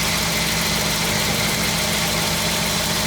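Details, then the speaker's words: 1952 Ford F1 flathead, cold start after sitting 7 days, choke pushed back in; even smooth low burble idle, no ticking or knocking, healthy flathead sound. "But that's how it's running. I'm going to let it run a little bit more for you, show you the other side. Hear that nice flathead sound is what we're listening to."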